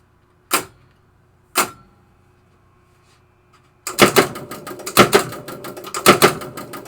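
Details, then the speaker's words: 1973 Williams Travel Time pinball clock pulse unit with replaced capacitor, potentiometer turned up to the fastest setting; rapid mechanical clicking in clusters with sharp relay snaps; clock running fast. "So let's watch the clock right here. Now you'll hear the ticking as the clock's going."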